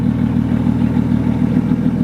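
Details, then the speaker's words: 750 hp BMW 135i with newly installed XClutch twin-disc ceramic clutch, just started: loud exhaust idle with fast, uneven rattly chatter over the beat; twin-disc clutch chattering at idle. "So, some of you might have heard that already. That chattering."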